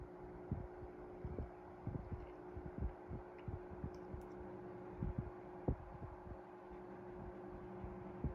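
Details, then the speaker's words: 1973 Frigid (Mitsubishi) GT16-S 16-inch oscillating fan, motor serviced and oiled, running on low speed with oscillation off: a quiet, steady motor hum with no grinding or rattle. "So I guess we'll start it on the low speed here. Make sure the oscillation's off. And we're running on low."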